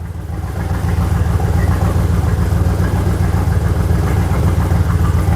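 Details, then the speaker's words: 2000 Jaguar XKR X100 first start after more than a year, following inclination sensor replacement for P1260 immobilizer lockout; no exhaust fitted, loud open-pipe roar with lumpy idle, engine light flashing, cause not confirmed: rough idle. "Don't forget, it doesn't have an exhaust on. There's no exhaust on, so it's probably going to be missing or getting mixed bad readings or whatever, so I'm not surprised the engine light's fl"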